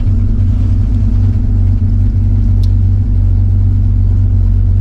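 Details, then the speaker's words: 1985 Chevy C10 with Blueprint 350 V8 idling very low at about 500–600 rpm, deep slow steady rumble; owner suspects a vacuum leak and is adjusting timing and air/fuel mixture screws (about 3/4 open); won't idle higher without heavily advancing timing. "It's idling right about 500-600. This thing loves to idle at 500."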